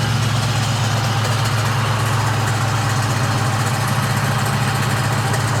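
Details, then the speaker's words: 1998 Mustang Cobra four-valve, about 320 wheel horsepower, idling: rough grumbling rattle from the engine front, shot AC compressor clutch, before replacement with new compressor clutch and condenser. "uh yeah compressor clutch is shot I'll let you hear just a second"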